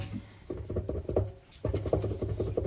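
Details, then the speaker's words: Hoover Link Whites 90 Aqua Plus washing machine drum turned slowly by hand gives a gritty, uneven clicking rumble from worn drum bearings, which are barely audible during spin. "The bearings are still just typically bad, so they are. But it's just so funny how you can't hear it while it's on spin at all."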